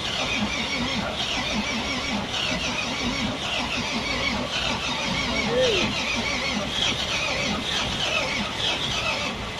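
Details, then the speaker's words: Volvo FM 370 truck, Volvo D11 diesel, long parked, after bleeding air from fuel system: starter cranks steadily with rhythmic compression pulses and high squeal but engine never fires; cranks but no start, next pushing fuel with air through tank. "Bởi vì động cơ vẫn không thể khởi động, chúng tôi đẩy nhiên liệu sử dụng không khí qua "Bình nhiên liệu"."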